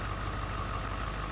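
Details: 2012 Ford F-350 6.7 Powerstroke diesel started after fuel filter change and priming: steady, even diesel clatter at idle with deep low rumble, no misses or knocks, turbo winding up, no leaks; idling normally.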